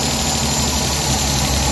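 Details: Suzuki DA64/DA63/DA17 engine after repairing burnt, overheating wiring that caused strong vibration with AC on: steady, even idle with a smooth low rumble and no shake, miss or lumpiness; normal idle.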